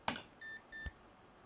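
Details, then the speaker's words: PC power supply on its tester, floppy connector unused: a sharp relay-like click, then two short high beeps and a soft tick within about a second; switching relay suspected, cause not confirmed. "there's a definite click there after like some sort of relay"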